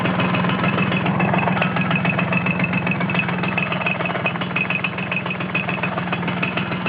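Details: Vespa T5 two-stroke at idle: a fast, fairly even metallic chatter that disappears when the clutch is pulled in; cause suspected, not confirmed.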